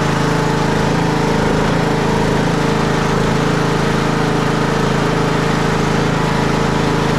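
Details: Craftsman T110 riding mower with battery that keeps dying, charging system under test after start: smooth constant drone at steady speed, no stumbles, rattles or surging; engine runs normally, battery voltage climbing as it should.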